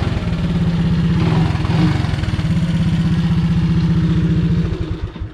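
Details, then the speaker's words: Honda ATC 200S single-cylinder after repair of its ticking noise: steady, even idle thump with only a light valve tick and no rattle, then shut off; the earlier noise is gone, normal idle. "fingers crossed I don't hear the noise anymore the only noise I hear is the valves a little bit but I don't hear the noise at all"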